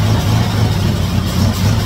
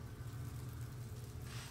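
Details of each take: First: 1956 Chevy Nomad V8 that sat over two years, running on fuel poured into the carburetor: a loud, slightly uneven low rumble, with no fuel reaching the carb from the fuel system. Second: 1956 Chevy Nomad, sat over two years, after carburetor and fuel system work: low, even engine rumble at a quiet idle with no knocks or ticks; running smoothly.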